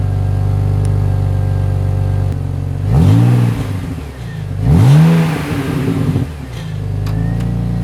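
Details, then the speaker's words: BMW X5 with rebuilt M54B30 engine, after a few heat cycles: smooth steady idle, two clean blips that rise and fall quickly, then settled idle; no ticking or knocking, sounds healthy. A heat shield sometimes rattles. "This is now how it sounds after a few heat cycles. I did also add this missing plastic here that was broken from the previous owner. But yeah, if you ask me, this sounds pretty much perfect, no extra noises or anything."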